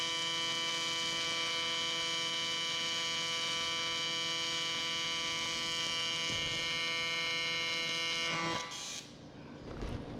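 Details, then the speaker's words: Miller Dynasty 300DX AC TIG on aluminum with a beginner welding: an even buzz holds steady about eight seconds before the arc cuts off. Earlier popping was blamed on cold metal needing more heat. A normal, stable arc. "go forward you hear how it's popping like that it's cuz it's cold you gotta let it heat up more"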